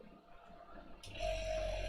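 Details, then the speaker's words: Freezer compressor used for sub-zero CPU cooling restarts: quiet hum, then at about one second a steady mid-pitched tone with low rumble and evaporator suction; normal compressor running. "there it goes that sounds happy again or you can hear the suction as the evaporator starts going"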